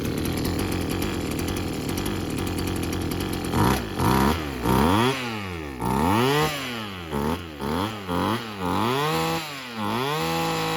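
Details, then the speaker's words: Old Husqvarna two-stroke weedwhacker after carburetor replacement with a kit: loud buzzy idle, then quick clean blips to a screaming rev and back; runs normally. "It runs like a husky one. Like it sounds like it's going to blow up. I think we're good."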